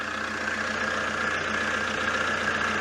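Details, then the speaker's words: Fiat Multipla after sump replacement to cure an oil leak, warming the oil in neutral: smooth, even idle with a steady hum, no knocks, misses or rattles; oil pressure sensor broken during the job. "the sweet symphony hopefully that is the start of improvement works on this vehicle"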